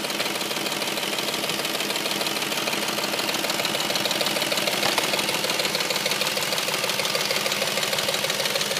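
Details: Audi S4 engine once warm: loud, fast, even ticking or knocking, roughly three per second, sharply over a smooth idle; cause not yet identified.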